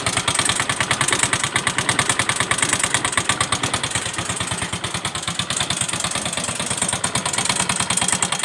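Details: Yamaha Mio M3 125 scooter, overdue oil change, customer complains of noisy engine and hard starting: fast sharp ticking clatter over a rough uneven idle, connecting rod knock from oil starvation.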